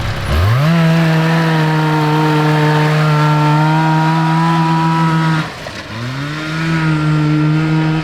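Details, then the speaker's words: Kawasaki 440cc two-stroke snowmobile engine in a go kart, after carb tuning, no longer bogs at wide-open throttle. It flares to a steady scream without pulling harder: the CVT belt, too long and worn, is slipping; a shorter new belt is pending. "Yeah, but the belt is terrible. yeah, you can hear it actually slipping."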